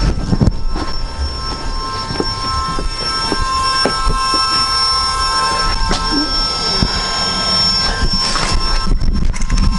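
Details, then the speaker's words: Volvo electric power steering pump on an AWD Accord CB7, after replacing a leaking hose, system on with no leaks: steady thin whine with scattered clicks; normal pump whine. "that noise the winding sound is the pump"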